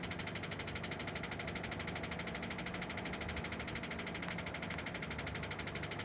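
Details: Renault Scenic 2, K4M 1.6 engine with automatic gearbox, 202,000 km: fast steady tapping knock about three per second over the idle, coming from below and appearing as the engine warms up; bottom-end engine knock.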